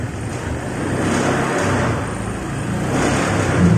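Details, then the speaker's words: EFI (PGM-FI) motorcycle running with a gauge on the fuel line: rough, uneven running that rises only a little when revved, hesitating; pressure stays below the 43 PSI standard, pointing to low fuel pressure, possibly a weak fuel pump. "Nah, jadi meskipun ini motor nyala, tetap nggak naik. Harusnya ini di sini nih, jarumnya harusnya di sini, standarnya di sini nih. Nah, berarti bisa dipastikan ini memang pas saya gas juga barusan sedikit ngempos ya."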